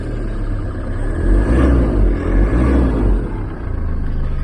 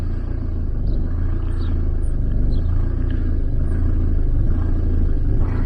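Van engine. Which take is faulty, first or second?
second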